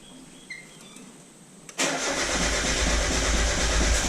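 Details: 1996 Mazda Miata on a SpeedyEFI plug-and-play aftermarket ECU with base tune: starter spins at an even cranking beat but never fires; crank no start, owner suspects the base tune's wrong engine displacement setting (350 instead of 1800 cc).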